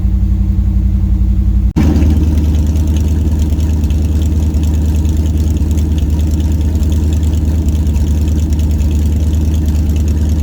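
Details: Dodge 318 V8, budget rebuild, reinstalled after a broken flex plate was replaced and cam and lifters inspected; oil pressure 60 psi, temperature 175–180°F: fires immediately and settles into a deep, even idle, no ticking or knocking; healthy.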